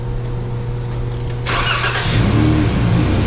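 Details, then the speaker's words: 2012 Chrysler minivan that only starts with a jump pack, battery tests good; catches after cranking, stumbles and nearly dies before settling as the fuel pump doesn't run right away. Fuel pump relay in TIPM failing. "there it see it almost died the fuel pump wasn't running right away"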